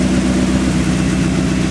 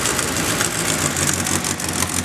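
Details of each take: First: 2nd-gen Mitsubishi Eclipse, crashed around Christmas, just restarted after repairs with an exhaust leak and white smoke: steady low rumbling idle, even and unbroken, no knocks or stumbles. The engine is idling fine. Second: 2nd-gen Mitsubishi Eclipse, crashed around Christmas, freshly started after repairs: idle with a sharp rapid puffing tick over the exhaust note. A big exhaust leak is heard, and white smoke is seen.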